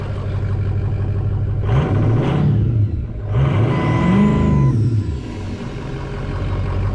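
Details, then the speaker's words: Ford 6.0 Powerstroke diesel after fixing no-start (loose FICM plug): blips up twice with turbo whistle rising and falling, then settles to even idle; normal idle, running cleanly. "foreign yeah there you have it now now it's running flawlessly"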